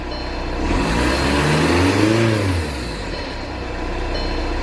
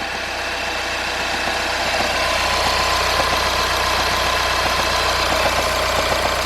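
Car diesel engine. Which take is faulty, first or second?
second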